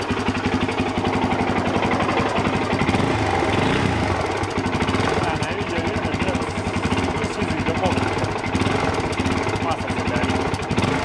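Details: Suzuki DR-Z400 single-cylinder warming up at idle with a sharp metallic knock on every firing stroke; engine removed and teardown showed connecting rod play (rod knock) and a scored piston.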